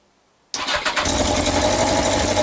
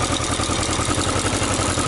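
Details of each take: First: Yamaha XJ900S Diversion motorcycle first start after restoration; fast idle with sharp rapid puffing tick on each firing and smoke, exhaust blowing at a front header joint, gasket slipped or needing more tightening suspected. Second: Yamaha XJ900S Diversion motorcycle after straightening a dented exhaust header flange that wasn't sealing: even quick exhaust pulses at steady idle, no misses, ticks or blowing, running healthy.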